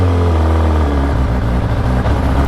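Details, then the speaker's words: Kawasaki ZX-10RR with a slip-on exhaust on a ride: hesitation and jerking at low rpm, uneven chugging tak-tak pulses, fine at high rpm; owner suspects fuel, since the previous owner's octane and E20 ethanol use are unknown. "So hesitation ಇದೆ ಗಾಡೀಲಿ. Low R P ಎಮ್ಮಲ್ಲಿ ಬಿಟ್ಟಾಗ jerk ಹೊಡಿತಾ ಇದೆ, ಟಕ್ ಟಕ್ ಟಕ್ ಟಕ್ ಟಕ್ ಅಂತ."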